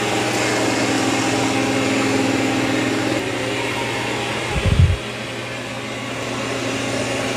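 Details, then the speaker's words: Dreame X40 Ultra robot vacuum (12,000 Pa) with mop pads dropped, moving onto carpet; even fan whine shifts to a stronger, deeper draw as suction boosts on carpet; normal. "Now it will increase suction also when it senses it's on carpet."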